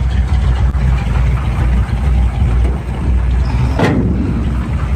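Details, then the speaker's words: V8 with points ignition, power steering and brakes: steady low idle rumble, even and unbroken with no misses or knocks; runs nice and smooth, healthy. "Runs nice and smooth. Got the, you know, the bomber jet on it with point still power steering power brakes. That really runs nice and smoothly."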